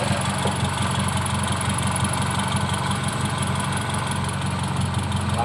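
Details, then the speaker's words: Car engine (Kijang tagged) at idle right after starting, during a used-engine check: steady low idle with an even, soft pulse, no knocks or misses, and little vibration felt at the body. Normal idle. "Langsamnya masih enak. Nah, yang perlu diperhatikan juga itu langsam ketika di body ya."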